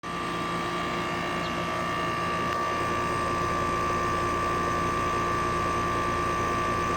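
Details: 2020 Trane 5-ton heat pump 4TWR4060G1000A, installed June 2020: outdoor unit makes a steady loud droning hum with throbbing fan-like beat, audible inside the house, much louder than older unit; installer says normal, cause not found.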